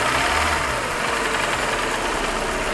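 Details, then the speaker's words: Hyundai engine with 69,000 miles, driven about 500 miles since developing piston slap: dull rapid knocking mixed into the rising note when revved under throttle. It is quieter at idle and goes away off the gas. "Piston slap, usually guys, you can hear it when the car is under load. When you give it gas, like climbing, especially a hill, or give it gas, you'll feel it."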